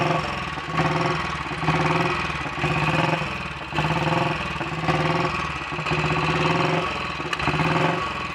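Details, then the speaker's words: Royal Enfield Bullet 500 single (ported head, shortened aluminium barrel, 9:1 piston), ignition timing set by strobe. Slow, slightly uneven thump settles and quickens as it warms; normal warm-up idle. Fuel starvation and weak battery remain unresolved. "that's just a little bit quicker now and once it's fully warmed up it will take over faster than that"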